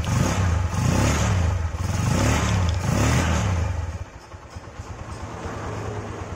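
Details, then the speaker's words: Honda Megapro Primus single-cylinder after reassembly to cure a harsh tek-tek/klotok noise from the left side (suspected cam chain or clutch adjustment): revs cleanly, then settles to an even, quiet idle with no ticking or rattling; normal running. "selanjutnya langsung kita coba Nyalakan Nah suaranya langsung halus ya"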